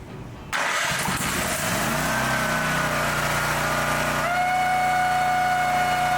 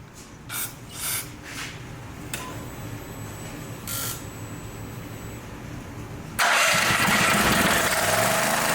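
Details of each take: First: Brand-new Champion EFI generator after flushing out kerosene fuel: cranks and catches quickly, then settles into an even, steady run that picks up a touch in pitch; sounds healthy. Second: Brand-new Champion EFI generator that ran, died and wouldn't restart. A few weak pulls, then it catches and roars on starting fluid, confirming a fuel delivery problem (contaminated fuel): no-start from contaminated fuel.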